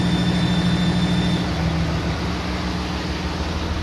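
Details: 2007 Dodge with 6.7 Cummins, mic near engine: steady diesel idle with thin high squeal once exhaust brake engages, louder when warm.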